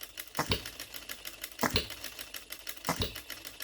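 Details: OKMO Retrol B02 miniature petrol hit-and-miss engine, first start out of the box with no adjustments, on 25:1 shellite mixed with Marvel Mystery Oil: sharp firing pops about every 1.25 s with clicking coasts between; normal, steady hit-and-miss running.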